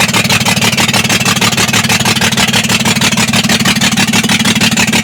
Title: Injector misfire bs6 2825